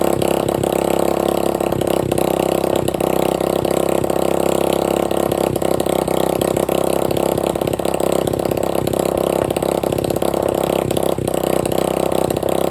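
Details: Free dirt bike running with no exhaust pipe and no carburetor filter, with about a six-inch flame shooting out the front: a loud, raw, crackling single-cylinder bark with uneven firing. Engine running without exhaust.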